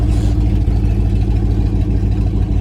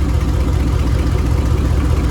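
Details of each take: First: 1999 Dodge Dakota R/T 5.9 V8, parked, started right up; loud raw idle with sharp even puffing tick each firing pulse from exhaust leak, downpipes cut behind headers, no muffler. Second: Dodge Dakota R/T 5.9 V8 with a bad rear main seal, still driven: a deep, even idle burble with a smooth steady pulse and no knocks or misses, idling normally.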